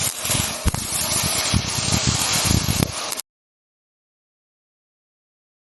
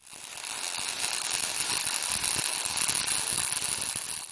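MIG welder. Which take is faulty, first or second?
first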